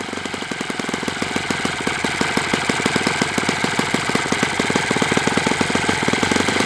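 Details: Enya 46-4C model four-stroke with air bleed carb on the bench, first run at 74°F in humid weather; fast, even popping with sharp regular firing beats and a soft, burbly edge, suspected a touch rich and wanting leaning.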